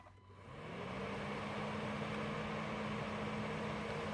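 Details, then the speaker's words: 2010 Honda Accord V6 (8th gen, near 100K miles) A/C condenser fan after replacement: spins up within a second to a smooth, even whoosh with steady low tone, no bearing growl or rattle; old fan suspected of a bad bearing/bushing. "now I will definitely say that is how it's supposed to now that is how I'm used to this fan sounding"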